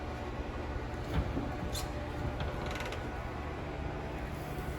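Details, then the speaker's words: 2021 Wildwood 179DBKX travel trailer, electric awning extending via top of the wall switch; quiet low motor hum with light creaks and a few clicks as the arms unfold, running out smoothly. Normal awning extension. "So for your awning, we're just going to hit the top of this switch here, and that awning will make its way out."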